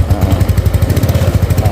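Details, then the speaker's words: Yamaha Mio Sporty carbureted scooter, new spark plug, idles normally but won't take throttle and dies if forced: single cylinder pops and stutters unevenly under light throttle; carburetor stumble traced to the carb vacuum slide and needle set. "Nah seperti ini suaranya. Nggak mau digas ya."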